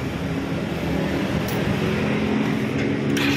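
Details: R180 motorcycle running after repair: steady even hum free of knocking or grinding; damper bearing found worn by stethoscope diagnosis and damaged part replaced, noise gone.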